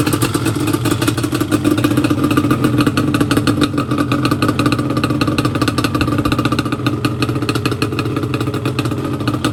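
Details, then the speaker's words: Yamaha Banshee two-stroke twin after a carb clean and rebuild, with the idle screws lowered about one turn each side: fast, crisp, even popping with no stumble or surge, a balanced, healthy idle. "So I turn each idle screw down. Yeah, now She sounds a lot better. Oh yeah, she sounds great."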